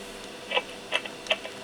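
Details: Yaesu FT-7800 transceiver noisy on transmit: irregular sharp crackles and clicks over a quiet hiss come and go at random, caused by worn mic connector contacts breaking up the transmit audio.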